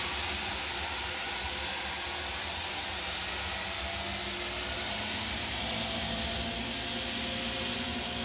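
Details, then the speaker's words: Overhauled GE unit with upgraded EZ Lube oil system, about 8 psi at inboard and outboard bearings: steady high turbine whine climbing slowly as it spools up, no knocks or grinding; healthy start and run. "And upon startup, the Easy Lube pump should overpower the auxiliary pump. This pump will be deadheading and the Easy Lube pump will take over."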